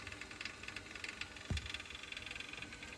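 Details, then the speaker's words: Combi boiler with replaced diverter cartridge, hot tap running and boiler power off: fast, faint, uneven rattle over a low hiss as water flows; suspected flow cartridge rattle, not affecting boiler use. "you can hear it rattling away so that tells me it's obviously something to do with that flow cartridge"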